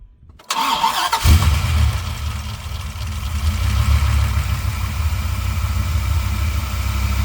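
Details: Auction Dodge Viper V10 that overheated, after corroded cooling-system repair with radiator flush added and system dry: quick crank, catches and settles into deep smooth even idle with fans rushing; normal start and idle.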